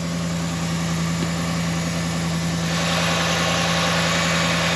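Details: Dodge Ram 1500 with start-up problems, after fuse/TIPM fuel relay fix: steady, even idle with a firm low hum and no misses or stumbles; engine running smoothly.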